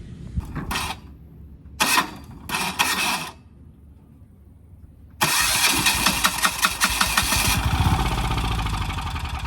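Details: Abandoned Industrial 5500 High Performance diesel generator, sat unknown years, with battery rigged, newly mounted tank and new fuel line: three short cranking bursts, catches about five seconds in, settles into steady even diesel clatter. Starts and runs fine.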